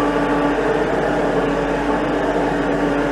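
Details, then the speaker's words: LS MT573 tractor at about 100 hours, heard inside the cab: faint steady mid-pitched whine over the running drone, present since new and in the steering, inaudible from outside; owner suspects hydraulic pump noise, same as other MT573s. "There is a hydraulic whine in this tractor and has been from the beginning. Now, I have listened to other MT573s that have the same identical whine."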